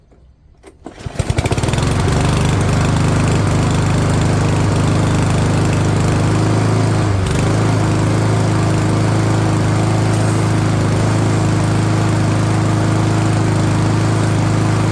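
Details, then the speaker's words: MTD Powermore 139cc single-cylinder mower started on choke after spring tune-up, run to get hot before oil drain; settles into a steady even drone with low firing beat, running smoothly while warming. "Right, so I'm going to fire it up again and let it get nice and hot and then we'll drain the oil and give it a cleaning."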